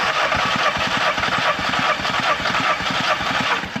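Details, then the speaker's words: Audi TT with a misfire, compression test while cranking: even chuffs about two and a half per second with no weak beats; cylinders 1–3 read about 175, normal compression (cylinder 4 later found low at 125). "So, on cylinder one, we're about 175, which is good. Let's go for cylinder 2. So on cylinder two, we're looking at about 175 as well, which is great."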